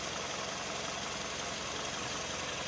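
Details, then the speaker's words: Warm idle, engine whose knock disappeared on its own after driving to the shop, cause still unknown: steady, even idle with smooth hum and no knock or tapping. "ну вот так вот он холостых работает прогреты"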